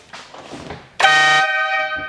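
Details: 1966 Triumph Spitfire MK2 air horns, fitted with a modern-style relay after the original relay failed: a loud, steady two-tone blast of about half a second, then fading. Normal air horn operation.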